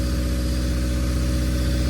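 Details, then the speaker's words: Built Honda D16Y8 in an EG Civic, first run after rebuild, ACL bearings, 10W-40, timing set, running without coolant: steady even idle slightly raised, no knocking or tapping, engine running smoothly. "But so far, I think it's working great."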